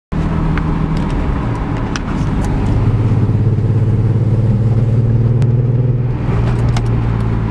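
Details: BMW E46 M3 straight-six at idle: low, stumbling idle that surges and never settles into an even beat, misfiring on all six cylinders because the pre-cat O2 sensors were swapped between banks.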